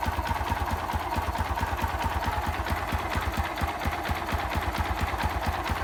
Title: Xrm 125 engine knocking sound?